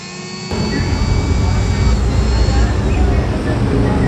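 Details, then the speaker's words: Electric wood planer overheating after new armature, loose upper/lower body, second shim attempt: motor growls rough and stays heavy, labored spinning; armature rubbing stator, fix not yet successful. "ngorok dan Masih berat banget untuk puteranya percobaan yang kedua juga gagal"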